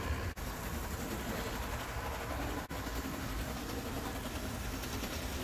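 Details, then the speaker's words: Bachmann HO scale PCC trolley rail buses bought used, motors cleaned (one fried motor dealt with) after weeks of work: even rumble and light track clatter at steady speed, no grinding; smoother and quieter once up to speed. "they have once they get up to speed they sound smoother and quieter"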